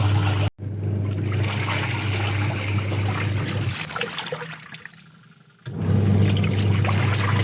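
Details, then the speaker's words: New LG 7 kg washing machine during wash: rhythmic sloshing churn of water and clothes, pausing before the drum swings back; normal wash agitation loosening dirt. "കണ്ടില്ലേ, ഇപ്പം നല്ലപോലെ അതിൻ്റെ ചെളികളൊക്കെ ഇളകാൻ തുടങ്ങിയിട്ടുണ്ട്. നമ്മൾ അലക്കുന്നതിനെക്കാട്ടും നല്ലപോലെ ഇതിൻ്റെ ചെളിയൊക്കെ ഇളകുന്നുണ്ട്."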